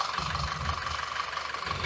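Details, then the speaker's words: 2014 Audi Q5 2.0 TFSI with codes P0506, P0300–P0304, rough uneven idle with stumbling misfire; carbon and injector cleaning failed, smoke test found a vacuum leak at the rear main seal, which was replaced. "We have done a lot of testing and we have come to a conclusion that the rear main seal is letting the air in, additional air in."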